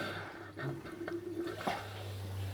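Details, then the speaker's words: Household washing machine newly connected to off-grid static caravan external plumbing (15mm push-fit, non-return and isolator valves), Express 30°C 30-minute cycle: faint trickle and drips over low steady hum, no leak behind; filling normally. "Can you hear it in there? Yeah, I can see it trickling in. Can you see it trickling in?"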